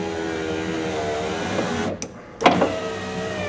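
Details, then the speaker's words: 1994 Ford F150 door window motor just replaced: steady electric whir, short pause, then sharp bang when motor starts; owner suspects the large drive gear/sprocket off the motor in the regulator. "only thing I don't like about it is is down in here you hear that banging when it first starts up it's that a big I don't know what you call it sprocket or gear that that runs off of the motor right there and I think it's it's that's what's making that noise"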